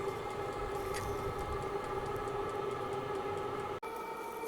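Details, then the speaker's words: Vevor 5kW vertical all-in-one diesel heater on its first startup, outdoors on max heat setting: an even roar with a steady whining fan tone and no sputter or surging. The burner and blower run clean and stable. "okay I'm back outside again you can see the heater's been running approximately 4 to 5 minutes"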